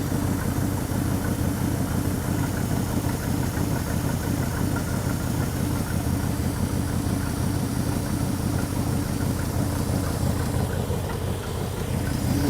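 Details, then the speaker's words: Five-bolt Ford 289 V8 in a Galaxie, first start cold on a rebuilt Autolite 2100 carburetor fed by an electric fuel pump: slow, deep, even lope at low idle, no knocks or misses; 21 inHg vacuum. Normal idle. "what is that 21 inches of vacuum perfect she's happy"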